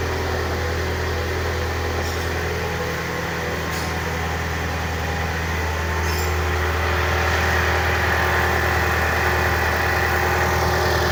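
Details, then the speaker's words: Petrol car after repair of intermittent engine growl (ngorok) at the belt tensioner, engine mount bolt removed to extract tensioner bolt: smooth even low-hum idle with no growl or rumble; normal. "mesinnya sudah aman ya untuk suara mesinnya gak ada yang"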